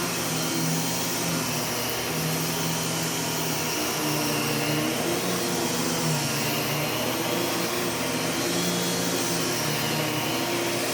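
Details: U1 upright vacuum switched on with its separate power and brush roll switches: steady airy high whine over soft low brush roll hum, even and unwavering; normal running.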